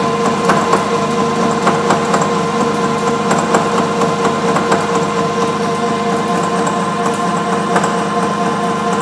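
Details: Bridgeport 1 HP R8 milling head on an American Tool Works planer mill, 5-inch face mill at 135 RPM, roughing pass on bar: steady spindle hum with light, even cutter ticks and no ringing chatter, a smooth clean cut.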